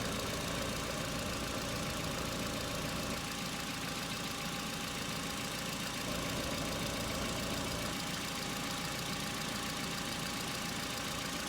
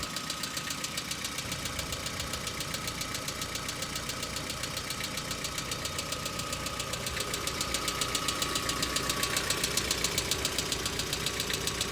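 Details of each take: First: Hyundai Accent petrol cold start at about -2 to -3°C, about three and a half minutes after start: steady even idle, hydraulic lifter tick has stopped; normal cold idle. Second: Hyundai Accent petrol engine cold-started about a minute earlier: fast, crisp ticking over idle from hydraulic lifters not yet pumped up, knocking, stopping and returning repeatedly; ongoing for three to four years.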